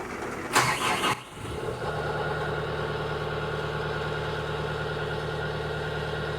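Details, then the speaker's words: CAT 906M compact wheel loader diesel, nearly 12,000 hours, cold start at about 60°F after injector replacement and trim code update: brief crank, quick catch, then smooth even idle heard from the cab; previously choppy and rough when cold. "Oh yeah, that runs a lot smoother now in the morning. Can hear the difference in the cab right away."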